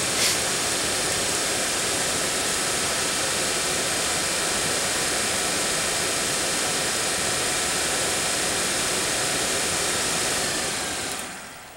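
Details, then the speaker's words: Daewoo Nexia heater blower motor after a brush repair (worn brushes had caused lost speed then failure), bench-run at what is taken to be top speed: an even, steady rush of motor and air noise with no rattles or squeal, winding down at the end; healthy. "про обороты у нас тут не повышаются я так понимаю это максимальные Ну дует вообще прилично"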